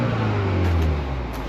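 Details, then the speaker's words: Used car inspection before test drive, engine revved to listen for exhaust leaks: short rev rises and falls smoothly with clean, even exhaust note, no puffing or ticking; no exhaust leak. "Again, give it a rev, listen to the exhaust system, listen for any leaks."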